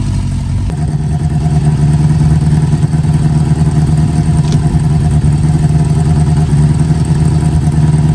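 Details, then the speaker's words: Owner's 350 bike, started easily and left idling after Seafoam was added to the tank: steady, even idle with a firm low beat, no misses or knocks; running pretty good, normal idle. "all right she's running pretty good I uh I like to start it up at least once a week now and run it"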